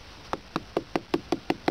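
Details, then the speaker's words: Tapping a freshly cast, still-damp wood-chip concrete (arbolite) block gives eight crisp, even taps about four a second, each with a short solid ring; the cement has set well. "Итак вот наш арлит он получился вот так вот он стучит звенит не знаю Слышно"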